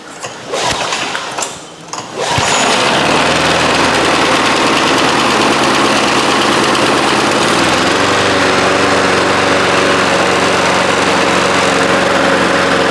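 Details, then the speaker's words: 1993 Toro Recycler II mower, Briggs engine, after fixing no-spark (bad ignition coils, damaged flywheel, parts swapped from another engine), started with ether: a couple of pulls, then it catches and runs steady and even with no misses; healthy. "Outside of my 1985 Mercury 20 horse outboard motor, this mower has been about as frustrating a job as I've done in a long time. I can't believe it's running."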